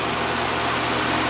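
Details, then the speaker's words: 1950s Patton 18-inch High Velocity fan, 3.2 A GE shaded-pole single-bearing motor, on high speed before repair: steady smooth hum with faint mains buzz and even airflow, balanced; normal running on high, though the blade moves in and out and clanks on low. "I will start it up and let you listen to it here's hi it's pretty quiet right"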